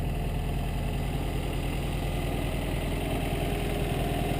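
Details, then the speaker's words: 1952 MG TD, 1250 cc four-cylinder overhead-valve engine, about 54 hp, odometer around 51,700: even, steady idle with a soft regular pulse and no knocks or misses; the engine sounds healthy. "you can hear the engine it sounds very good it's a 12 150 CCC engine 1.25 L"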